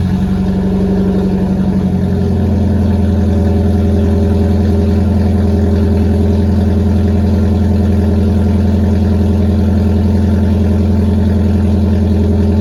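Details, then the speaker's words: 25-year-old Nissan 240SX with long-tube headers only, no muffler, not started in a while: very loud, raw, deep unmuffled drone after the rev drops. "i'm going to show you guys what it actually sounds like for a 240 sx to just have long tube headers and that's it"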